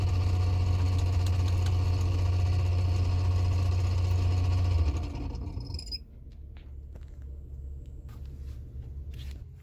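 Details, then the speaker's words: 2017 Toyota Sienna AC blower fan: a loud, steady low drone that fades about five seconds after switch-off; the noisy blower motor is to be replaced. "so today i'm going to replace the blower motor because when you turn on you can hit make a noise"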